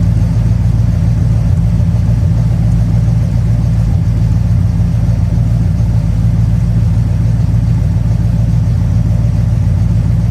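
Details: 1969 Plymouth Fury III V8 idling; transmission still leaking: deep, steady burble, even low rumble with no misses or knocks; normal idle.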